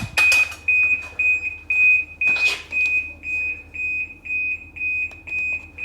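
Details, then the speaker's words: 2010 Ski-Doo 800R snowmobile, control unit connected to a CANDoo Pro diagnostic tool: a sharp, high beep repeats about twice a second without stopping. Warning beep for stored fault codes. "just starting up the can do pro oh well that's awesome feature just keep beeping till I can't stand it anymore man that is noisy oh there's a few fault codes look at that"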